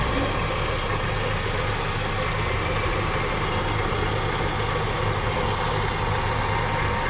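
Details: 2005 BMW X5 idling with A/C on, a rough, gravelly drone under the engine note while A/C blows cold; worn compressor pulley bearing growling, compressor to be removed for bearing replacement.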